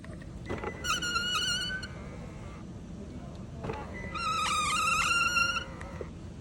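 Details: Hyundai Sonata power-folding side mirror: high, wavering squeal over the motor hum during each of two folding movements.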